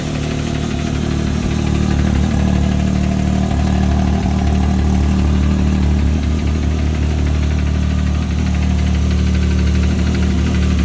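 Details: Can-Am Maverick X3 XMR Turbo RR idling steadily with a light, regular tick over it, about three a second; cause unknown.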